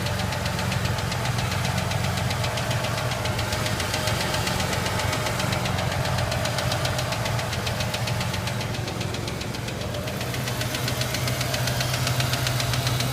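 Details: Ford Ranger: fast, somewhat uneven tick about two or three per second over a steady engine run; engine ticking, source unknown.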